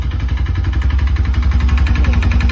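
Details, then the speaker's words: Bajaj NS200 BS3 motorcycle started on the self-starter: loud, heavy knocking at about eleven blows a second over a rough idle, growing louder when revved, with no white smoke. Broken piston found. "ओ हो सुना दोस्तों आपने sound कितना गंदा sound आ रहा है और white smoke भी नहीं कर रही गाड़ी"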